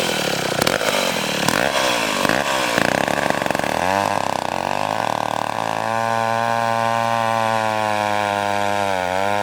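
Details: McCulloch 1-42 two-stroke chainsaw, restored project saw, cutting wood: high wail bogs slightly and holds steady as the chain bites, pulling cleanly without stalling; runs healthy.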